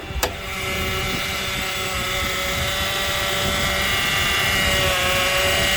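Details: 2008 Honda Accord coupe, about 200,000 miles, idling: steady high whine at constant pitch over the engine; power steering fluid out, pump running dry and probably needing replacement.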